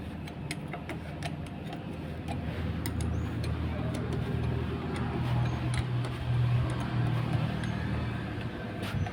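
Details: Honda Scoopy-i scooter that ran with dry oil and was noisy at idle, after repair with new O-ring and cover gasket: steady low idle with light even ticking, no knocks or rattles.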